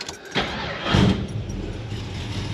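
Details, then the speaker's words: 1972 AMC Javelin AMX, carbureted engine with a stainless 3-inch exhaust, started cold: cranking, then a rough catch into a low, uneven rumble. It doesn't like to start super cold until gas gets into the carb. "And once you get some gas in it, sorry, missing the keys, in the carb, it doesn't like to start super cold."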